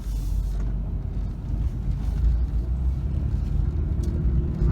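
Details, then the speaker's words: Pontiac Grand Prix after front-end component replacement, slow full-lock turn: low road rumble with no clicking or knocking from the front axle; the previous CV joint knocking is gone. "right I don't hear the knocking noise that I used to hear that was the cv joint"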